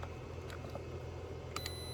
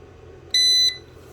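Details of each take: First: DeWalt 1400 A jump starter box after its warning buzzer was deliberately destroyed: only faint, thin chirps come through over the room hum, so it still beeps but far quieter than before. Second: DeWalt 1400 A jump starter box: single sharp high beep about a third of a second, its loud warning beeper that sounds repeatedly while connected; beeper seemingly on the LED screen board, to be disabled.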